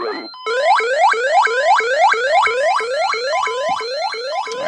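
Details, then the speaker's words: ADT SafeWatch Pro 3000EN armed instant, driving an ELK-110 siren driver set to its alternate tone: rapid rising whoops, about three a second, repeat steadily. The burglary siren is sounding after a zone trip. "and I'll change the tone inside on the siren driver and we can listen to the other tone"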